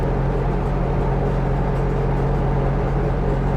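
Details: Viking 130 aircraft engine with propeller, after run-up to 5200 rpm, idling about 1300–1330 rpm; oil pressure 47, water 130, gearbox 103: steady even low drone, no stumbles, knocks or surging; smooth healthy idle.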